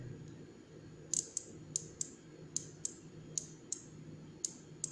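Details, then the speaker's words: Vocho (VW Beetle) ECU relay, coil terminals 85–86 energized with voltage and ground, damaged terminal 87 lead: sharp, crisp clicks each time coil is powered; relay pulls in cleanly, works, repairable by resoldering. "vamos a energizar 85-86 con voltaje y 85 con tierra y se alcanza a escuchar como entre en funcionamiento el relé"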